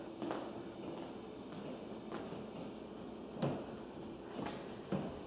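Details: Water hammer heard in the family room, kitchen and laundry room ceilings after flushing the upstairs toilets: dull thuds at irregular intervals, about one every second or two, while the tank refills.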